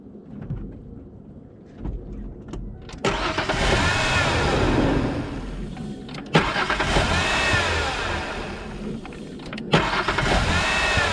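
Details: Vehicle with a dead battery that would not turn over, jump-started with UTRAI 3000A Jstar 8 jump starter: a few clicks, then the engine catches and settles into a steady, even run; clean start with good cranking power.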